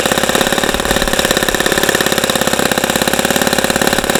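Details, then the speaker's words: ASP FS65 glow engine on test stand, 29°F cold day, 5% nitro fuel, APC 12x6 prop, OS F plug, started with much lighter fluid: quick even buzzing idle with no misses or surging; running healthy. "okay so that was a that was a good run once we got the engine started but this engine took a lot a lot hang on damn it took a lot of this rosinol lighter fluid to get going"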